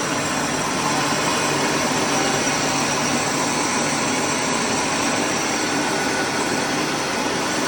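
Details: Rice mill after replacing its broken motor bearings and fitting a Sam 3 flange plate, test run: steady, even rushing run with no knocking, grinding or squeal; mill and motor sound healthy after repair.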